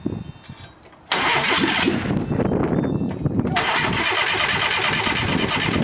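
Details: Fiat Panda 4x4 project converted from carburettor to injection: starter spins the engine hard and steadily for several seconds without catching; owner concludes there is some problem with the injectors.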